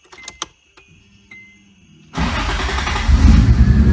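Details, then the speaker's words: Toyota 2JZ swapped into a 240SX: clicks and cranking, then it runs with an uneven, stumbling beat, heard from the rear; misfire/backfire with unburnt fuel in exhaust. "so you can see that it runs and it idles just fine however we have a sort of i don't know if it's a misfire a backfire whatever you want to call it we have a problem with something in the exhaust too much fuel something's not burning off"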